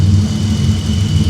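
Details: BMW E34 donor engine, bought as a non-runner, after replacing mass airflow sensor (problematic late-'80s/early-'90s Bosch unit) and idle control valve: smooth, steady low hum, no misses or hunting; normal clean idle.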